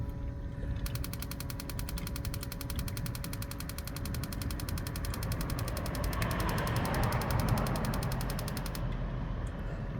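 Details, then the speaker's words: New Bouge propane water heater, E3 error code, fuse intact, several propane canisters tried: rapid steady spark clicking about three a second for several seconds, no burner whoosh; igniter sparks but propane never lights, cause unconfirmed. "You can hear the igniter going, but it never ignites the propane."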